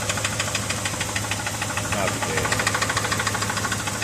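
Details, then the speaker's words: 1973 Ford F350 with a 390, after a new timing chain set. Pronounced rhythmic knocking, about three per second, persists at idle. Cause still unknown; valve covers may come off next, and a carb fuel leak remains. "we are back I am still bummed out about the uh the uh what sounds like a knock in the engine"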